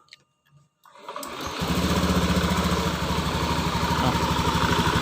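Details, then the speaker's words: Honda Beat eSP PGM-FI scooter with a sputtering complaint, before water-spray testing: catches after a second and settles into a steady, even idle with no stumbles or missed beats; running normally. "Nah di sini soalnya motor sehat ini enggak ada ciri-ciri untuk merebut"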